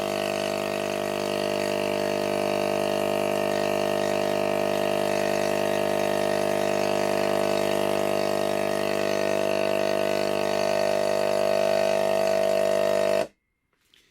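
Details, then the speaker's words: Hailea ACO-318 45 W laser air-assist pump with outlet hose removed: steady electric hum with fast even pulsing about four beats a second; loud rhythmic banging, owner suspects the outlet barb restriction, unconfirmed. "now if I take this off you hear a loud bang bang bang bang bang noise"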